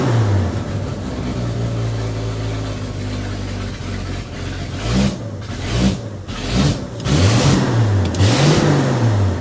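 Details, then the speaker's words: Old bullnose Ford 300 cu in after 1-barrel to 2-barrel carb swap; idle then quick blips climbing and falling cleanly, no hesitation, idle set too high. Normal free revving. "Wow, the throttle response is amazing."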